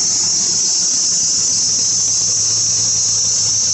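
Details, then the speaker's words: 4th-gen Ram 1500 with the 5.7L Hemi, running with the hood open: a steady, piercing squeal over the idle that rises and falls with rpm. A worn or slipping serpentine belt is to be replaced. "with the truck running you can hear that squeal that's coming from that Belt doesn't go away just kind of goes up and down with the with the RPMs hear it even more with the hood open"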